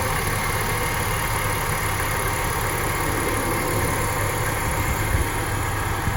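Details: 2005 BMW X5 at idle, before repair: constant rough growl from the A/C compressor pulley bearing under the engine note, not quieter with A/C switched on; worn compressor bearing.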